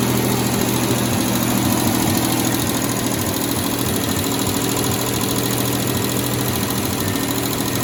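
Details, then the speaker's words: Freshly rebuilt, reinstalled 1989 Mitsubishi Montero (Gen 1) engine, idling fairly smooth after distributor timing adjustment. A loose, rapid tick, about three per second, rides on top. "So in that last video, you might have heard it running, and I got it running fairly smooth. However, it had a gnarly ticking noise, which, if you know my past experience with Montero motors and rebuilt ones, obviously made me very nervous."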